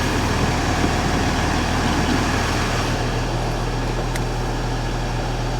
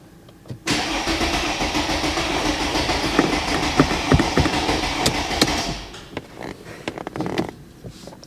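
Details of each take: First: Mercedes ML350 with a rebuilt replacement engine, just after first start: steady even idle with a smooth low drone, no knocks or rattles; engine sounds healthy, slight squeak from somewhere, engine management light on. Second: Mercedes ML350 with a rebuilt replacement engine, start attempt, battery at 10.5 volts: starter turns the engine evenly and slowly for about five seconds without firing. No engine or transmission faults; fuel system bone dry, fuel not yet delivered.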